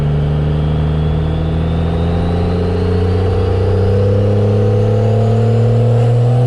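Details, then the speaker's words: First-gen Cummins diesel truck, transmission after over a year of extreme abuse, hard acceleration: deep diesel pull with pitch climbing smoothly, strong and even, no knocks or misfires; transmission temperature under 140; normal running. "That was some pretty hard ripskies, but she just takes like a freaking champ. She just sounds so mean. It's amazing."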